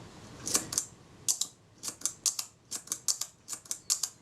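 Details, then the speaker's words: Kodak Retina IIIc shutter being serviced after a previous owner's failed repair, test-fired before final reassembly and speed adjustment; crisp, high snaps in quick pairs, about eight times, each release cleanly followed by its close, sounding good. "That sounds good."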